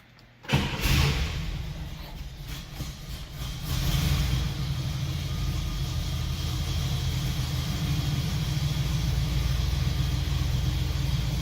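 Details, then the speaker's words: 1966 Oldsmobile Toronado with its original 455 V8, first start before its first test drive: short crank, catches on the first try and settles into a smooth, even idle; starts cleanly, nothing amiss. "starts up at literally a first crank it's crazy"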